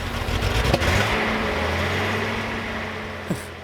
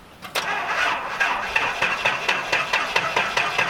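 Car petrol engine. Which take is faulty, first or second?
first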